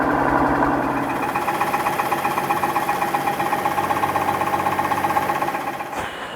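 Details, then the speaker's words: 2015 Mercedes-Benz S65 AMG, first start after a full engine rebuild: a quick, even knock about four times a second over the running engine. The cause was the starter motor body contacting the engine, not an internal failure. "That's not a good sound. Oh, please don't tell me I have to rebuild this engine again."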